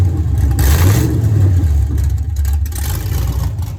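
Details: 1983 Ford Mustang with swapped 5.3 LS V8 (cam upgrade), oil pressure 40 at idle and 70 revved, thermostat not yet open: deep even rumble climbing cleanly with throttle, no knock or miss; normal start and revving.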